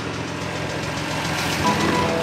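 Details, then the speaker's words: BMW M2 Competition salvage rebuild, idling with no coolant in system: light quick ticking from the top end over engine note; MMI reads oil level okay, cause not confirmed. "as a lot of you said in the last video as well and I agree it was a bit rattly top end so I'm just wondering if the car system is talking out of its ass and there isn't enough oil in the system"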